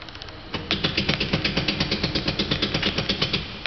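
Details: 2007 Opel Antara (Chevrolet Captiva), 94,717 km: quick sharp metallic knocks about three a second while the steering wheel is worked, a worn steering rack knocking.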